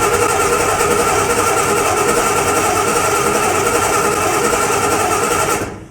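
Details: 1981 Chevy C1500, freshly cammed 350 small block, cranking during a spark test before first start: steady, even whirring crank at three to four turns a second, no stumbles or clunks; spark present, starter turns it normally.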